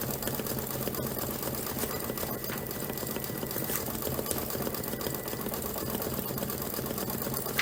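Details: Embroidery machine stitching; quick even chatter at a steady pace, no thumps or skips; normal stitching.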